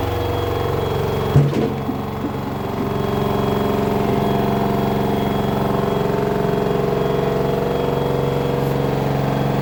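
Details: LG front-loader 10 kg wash/7 kg dry smart inverter direct-drive washer, loaded, during spin: heavy steady drone with a fast buzzy rattle over it, jet-engine loud; bearing and ducts fine; control board mounting vibrating loose.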